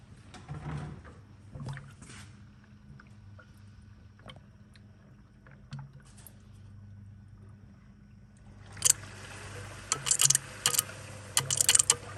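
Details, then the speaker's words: E93 after replacing the electronic water pump and thermostat, bleed procedure (pedal held 10 s, battery on trickle charger): quiet pump hum, then irregular watery gurgles and splashy bursts near the end as trapped air is pushed out. "I'm going to wait to listen for the water pump to turn on and there it goes there she goes she sucked all of that down already"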